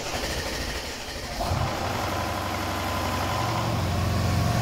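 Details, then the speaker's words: Mercedes-Benz CLS500 with the M278 engine, around 200,000–230,000 km: on a startup check it cranks and catches, then a hard rapid clatter rides over the idle for a few seconds; worn intake cam adjusters are rattling, the right one confirmed shifted on diagnostics and the left possibly as well. "абсолютно стандартная история с грохотом от муфт"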